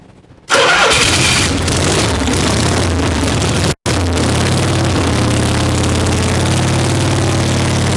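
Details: 1965 Harley-Davidson Panhead V-twin after cam, lifter, pushrod, carb and coil work, just started on choke: cranks and catches, loose, raspy, uneven idle with harsh edge; rough idle, needs dialing in.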